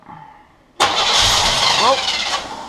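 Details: 1981 Pontiac Firebird Trans Am stored about three years unstarted: starter spins steadily about two seconds but engine never fires; fuel line off shows the pump delivers fuel, so clogged carb inlet fuel filter is suspected next.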